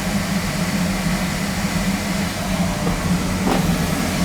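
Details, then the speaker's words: Oil burner boiler after new tank filter, smaller nozzle, cleaned burner head and reset electrodes for noise complaint: steady low flame roar and constant hum, no pulsing or rumble; running better, shuts off on limit. "It's running better. It's running better. She's off on limit."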